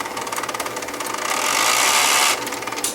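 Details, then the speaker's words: Professional UK video tape unit, shipping-damaged, loaded with an L830 tape: rapid mechanical chattering and rising whirring grind as the tape threads; sounds unhealthy but threads the tape successfully. "that didn't sound too healthy but it threaded the tape"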